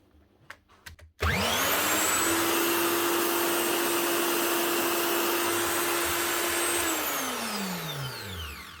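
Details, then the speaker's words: Virutex MC16L door lock morticer motor; spins up to a steady high whine that sags and winds down after several seconds despite turning freely. "She's running, which doesn't sound bad, and she's turning free. I wonder why she's slowing down."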